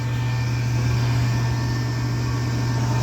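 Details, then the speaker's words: Rheem furnace after replacing the noisy inducer motor with a new OEM 1.3 A unit: steady, even low hum with faint whir, no rattle or bearing noise; amps good, sounds far better than the old motor. "Amps are good, and it sounds way better"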